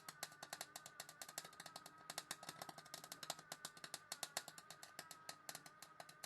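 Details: Clarke 120E MIG welder, about 20 years old and suspected worn out, welding sill panel on Volvo 480: irregular crackling bursts and stuttering pops instead of a steady hiss; erratic sputter, settings not right, splattery but holding.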